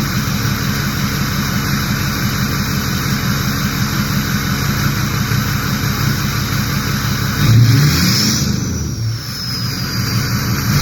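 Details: Ford 6.0 diesel with VGT reading stuck at 0.84, warming up: clatter settles to steady idle, quick rev brings clean rising turbo whistle fading evenly; normal turbo spool.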